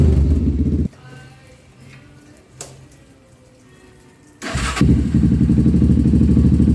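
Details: 1997 Honda TRX300EX single-cylinder after cam chain replacement, not run in a while and still cold: steady idle thump, drops to soft tick, picks back up with even rhythm; slightly rough but running really good.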